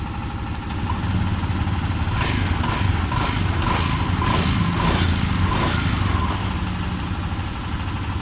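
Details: Honda Vario 125 with hesitation at mid and full throttle, after a new TPS sensor was fitted: several clean rev blips that settle back without stumbling or cutting out; throttle response sounds healthy.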